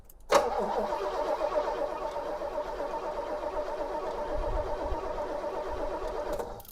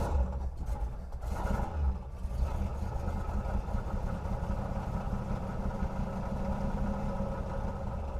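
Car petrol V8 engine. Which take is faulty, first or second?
second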